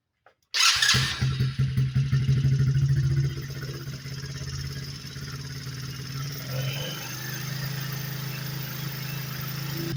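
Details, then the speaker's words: Chinese Coleman AT125 ATV with new intake, airbox and carburetor, just started and carb adjusted: single-cylinder idle with a light quick lifter tick, exhaust or intake valve suspected; valves to be adjusted. "all right guys think I've got the carburetor dialed in we got a little bit of a lifter tick you guys can hear that so we're going to go ahead and adjust the valves"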